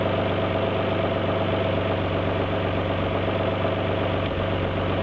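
V6 idles with a steady low drone, but the rhythm is slightly uneven with occasional soft stumbles, consistent with a misfire at idle.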